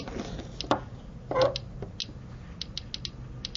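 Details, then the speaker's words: Geiger counter with gamma source behind two sheets of lead: irregular sharp clicks, about a dozen in four seconds, reduced but still present, showing gamma radiation penetrating the lead. "the counter continues to click therefore two sheets of lead are not thick enough to prevent the penetration of the gamma particles"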